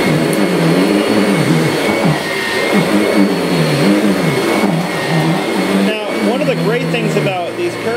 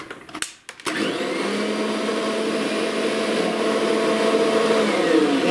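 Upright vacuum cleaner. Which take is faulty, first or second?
second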